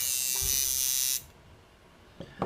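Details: Coil tattoo shader machine, with rubber between the screw and spring to damp vibration, running: a steady, high-pitched electric buzz for about a second, even and smooth, with a clean figure-eight waveform on the tuning display. Properly tuned, normal running.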